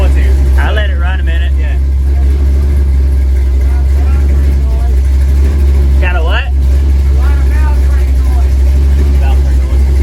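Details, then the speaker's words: 1964 Chevy II Gasser, LS V8 swap with Holley Terminator X, first start; deep steady idle held noticeably high and even, no misses, should drop toward the 800 rpm target as coolant temp rises; cold high idle. "So that graph's gonna look like, you know, as the coolant temp increases, it'll go down to your target. Oh, okay. But, you know. Well, it's sounding better the longer it ran beca"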